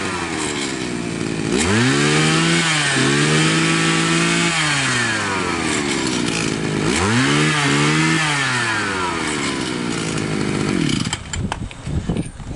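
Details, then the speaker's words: Profi two-stroke string trimmer that would not start after winter, carburetor cleaned and flushed: crisp rising rev sweeps, steady idle, clean pickup; runs normally, warning not to run the mixture too lean or the piston may seize. "сейчас принципе нормально единственное смотрите повнимательнее совсем не объединяйте смесь иначе может задавать поршневую"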